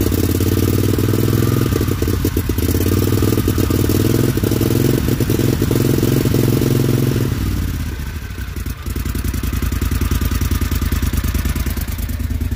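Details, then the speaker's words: John Deere XUV 625i Gator, no flash code set. Uneven, stumbling engine beat with clattery breakup and a sudden dip mid-run; rough running traced to a failed throttle body stepper motor. "well you guys heard how bad that thing was running before and not so much as a single flash or anything else"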